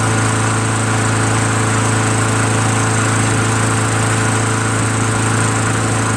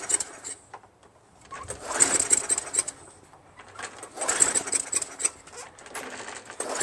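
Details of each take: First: Craftsman Eager 1 22" self-propelled mower, Tecumseh 5.5HP engine, after carburetor rebuilt from five parts carburetors plus new needle, seat and gaskets and governor adjusted back slightly: steady, even single-cylinder drone, no misses or surging; now starts and runs well, normal running. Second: Craftsman Eager 1 22-inch self-propelled mower, 5.5 HP Tecumseh, rebuilt carburetor, dry intake; repeated pulls every couple of seconds give brief sputtering catches that never keep running. Sticking governor, later fixed by adjusting it back slightly.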